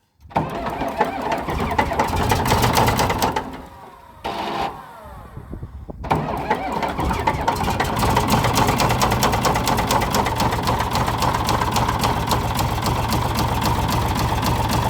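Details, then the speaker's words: Komatsu D65E dozer diesel, cold start after sitting about two years, with one cylinder previously removed by the owner: cranks, catches quickly and settles into a rough idle with a steady knock about four times a second. Suspected rod knock. "Definitely hear that rod knock, Bo. Didn't even struggle to start, did it?"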